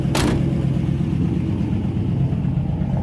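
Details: 1955 Ford V8, hot, choke half out for raised rpm: uneven lumpy idle, one cylinder skipping; misfire traced to a bad spark plug wire.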